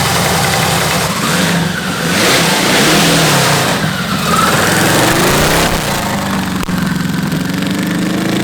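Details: Custom V8 built from eight Tillotson 212cc go-kart engines, about 100 hp, on a go-kart: loud, uneven note that surges and sags; running rough and needs jetting.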